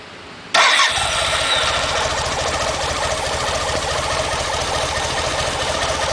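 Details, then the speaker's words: BMW K75 motorcycle test start after fuel line replacement, with cooling fan confirmed working: engine catches at once and settles into an even, steady idle with no fuel leaks; healthy start. "Alright, so no fuel leaks. Everything sounds good. I think we're good to go on this one."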